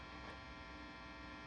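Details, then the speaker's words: Matchless Lightning Reverb tube amp, reverb level up, nothing played: steady low mains buzz with bright edge; hum picked up by reverb tank leads leaving the shielded chassis. "when you're turning your control level up you're just literally taking your guitar signal out of the shielded comfort of its chassis and you're throwing it down a a couple of leads into a remote area"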